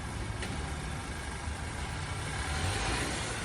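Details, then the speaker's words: Worn wheel bearing on a first car, owner replacing it himself; steady low droning rumble with a faint rhythmic throb at road speed, no engine knock; badly worn wheel bearing. "And this guy had just bought his first car and needed to change his wheel bearing. He didn't have enough money to bring it into a shop, so he decided to do it himself. He knew it was bad, but he didn't know it was this bad."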